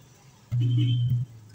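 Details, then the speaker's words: JMS amplified speaker, owner suspected only a capacitor: a loud, steady low hum starts abruptly and holds for under a second with no program sound, hum only, pointing to a failed supply rail. "mapapansin niyo dito sa speaker niya Ugong lang"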